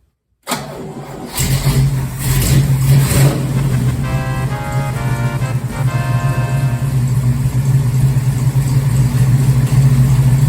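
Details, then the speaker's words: 1969 Firebird, 494 stroked 455 Pontiac, first start in nearly 20 years in a cold Indiana garage, after choke and fast-idle cam adjustment: catches within a second and settles to a steady, lumpy idle with no knocks or misses; healthy. "so so i don't know about you but that sounds uh pretty good for a 494 beast built in the garage here at home so it's running pretty good"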